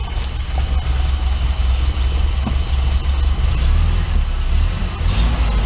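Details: 1987 Toyota 4Runner EFI petrol engine idling after fuel pump replacement with new Denso OEM pump, first start: deep, even low rumble holding steady with no misses, knocks or hunting; normal idle.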